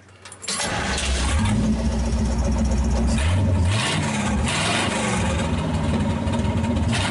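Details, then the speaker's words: 1931 Ford 5-window with Cadillac flathead V8, long off the road, no exhaust or air cleaner fitted, generator not wired, gauge about 155; quick crank, loud open even-firing burble that sounds wide open but runs fine: normal running without exhaust. "kinda sounds fine I know it probably sounds like it's wide open because there's no exhaust"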